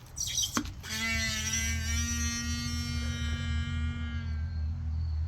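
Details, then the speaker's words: Speedway car's cheap eBay Webco shock, the new one being fitted to replace 8-year-old shocks, compressed by hand: a drawn-out moaning groan about four seconds, sagging in pitch, "like a dying whale"; a groaning shock absorber. "Let's compress the shock. Let it out. And it does come out better than the last rocks I had. They never came at all. But sounds like a dying whale to start with."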